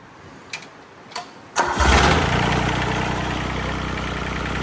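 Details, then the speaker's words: 1986 John Deere 330 diesel garden tractor after revival: a few clicks, then it fires and settles into idle with a light metallic nailing clatter; owner thinks injection timing may be slightly advanced. "It's kind of got a little bit of a nailing sound. still think the timing could be slightly advanced"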